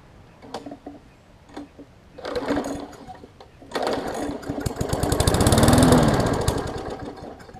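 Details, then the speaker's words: Briggs & Stratton Classic 500-series push mower engine, built August 2007, fresh gas added: single-cylinder coughing and surging in uneven bursts, dying and catching again; owner suspects water in the fuel. "so to me it sounds like we've got some sort of probably water in the fuel or something along those lines um just by what it's doing so um let me investigate a little bit further and see if i can get it to stay running or not"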